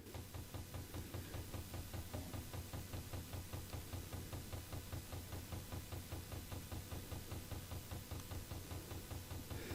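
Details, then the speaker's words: Chinese diesel heater, fuel pump reconnected with plug seated and lines checked: crisp even ticks about 2.5 per second over quiet background; pump working, normal. "let's see if we have any Joy when it comes to making that pump function the pump's working I can hear it we'll see if it pumps the diesel fuel up this tube"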